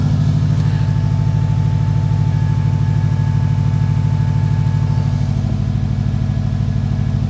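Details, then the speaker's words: Subaru WRX idling smoothly at its first start after the gas tank was derusted in the car with Evapo-Rust; fuel pump running, steady even low rumble with no misses or knocks; normal idle. "Fuel pump is running. Car's running. Oh my gosh, this is exciting."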